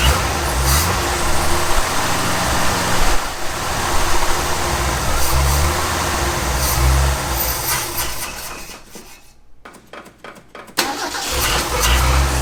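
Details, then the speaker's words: 1965 Ford F250 300 six, parked about 17 years: runs rough and uneven, sags almost to a stall, catches again when throttle is pumped; won't hold idle on its own, owner suspects a plugged carburetor idle circuit. "so what does that mean is our idle circuit plugged up because if i pump it she'll take"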